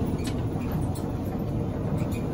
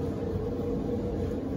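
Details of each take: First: Electric Maytag dryer, heavily worn, owner complains of loud noise when it starts; heavy continuous low rumble with rough uneven roll while running, traced to a worn idler pulley; dryer also not heating, element to be checked. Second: Maytag electric dryer after service, cleaning and bushing repair for loud noise at startup: even, quiet drum rumble with soft steady hum near 500 Hz, no squeal or thumping; runs smooth like new.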